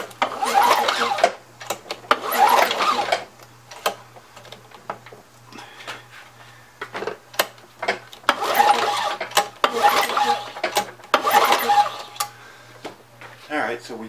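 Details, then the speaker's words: Craftsman 917.377300 curb-find mower, Tecumseh Eager 1 6.6HP engine with Vector carburetor: repeated pull-start cranking bursts, each a quick whirring rasp, engine never catches; no spark seen at the plug while cranking. "here i'm not seeing anything there yeah i'm not seeing anything on the"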